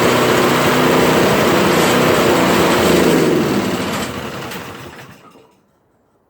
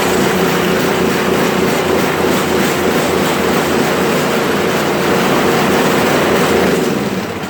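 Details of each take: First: Toro Powerclear 721 RC snow thrower single-cylinder engine after carburettor cleaning, started with three primer pushes and choke: runs at an even steady beat, hardly sputtering, then winds down and stops; much better than before. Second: Toro Powerclear 721 RC snow thrower before carburettor cleaning: loud small engine should hold a constant idle but drones with an uneven up-and-down pulse; engine surging, owner suspects a dirty carburettor.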